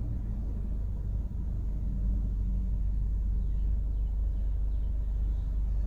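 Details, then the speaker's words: Ford DPS6 dual-clutch transmission after clutch replacement, adaptation of shafts A and B at idle: a steady, even low rumble with no knocks or misses. A smooth, healthy idle. "it's stabilizing the engine rpm and then it's going to do the idle touch points so it does a wide open throttle touch points and then it'll do idle touch points"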